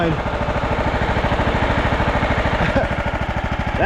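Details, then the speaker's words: 2001 John Deere LT133 lawn tractor, 13 hp Command single-cylinder. It would not crank at the key, so the solenoid was jumped and a tab found off the solenoid. Quick, steady beat with no misses or knocks: running clean and normal. "But how about that, guys? That's a runner. This thing's pretty comfy."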